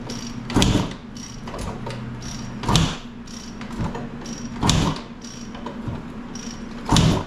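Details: 1995 KTM 300 EXC that won't start, kicked with the choke on after carb work: a hard kick about every two seconds gives a short puffing chuff, but the engine never catches.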